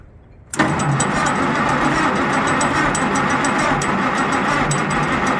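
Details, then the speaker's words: Cold tractor after repeated cranking with a little choke, owner suspects flooding; engine turns slowly about three and a half beats a second and never catches as the old Interstate battery runs low. "Uh-oh. Starting to run low on battery."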